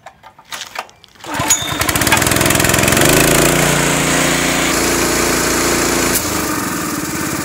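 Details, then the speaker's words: Honda GX160 powering a Ridgid 90135A air compressor, carb cleaned and serviced: catches after a few pulls, revs up, then settles slightly lower as tank pressure drives the bullwhip cable to ease the governor throttle; normal running. "working as it should so once the tanks build pressure it pushes that piston which then pushes that cable and lowers your throttle this is working as intended guys"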